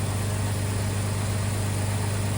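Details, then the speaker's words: 2002 Jeep Grand Cherokee WJ after engine replacement: low, even, quiet idle hum with no ticks, knocks or misses; healthy engine. "Sounds great. All right, so look how quiet that thing is. Smooth as can be."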